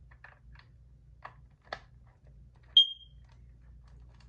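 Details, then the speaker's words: Kidde Nighthawk KN-COPP-B CO alarm (1997, 3 AA, replaceable KNCORS-1 sensor): plastic clicks then one short sharp chirp, display showing error with sensor removed, while the sensor is refitted. "Yeah, it does say error, and it shows there's no sensor in place."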